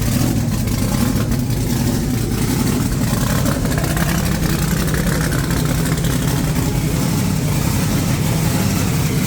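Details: Supercharged big-block Chevy V8 just refitted in the ute, oil pump primed, timing set, no coolant yet: deep, lumpy heavy rumble, steady firing at idle and revs, no knocks or misses; running healthy.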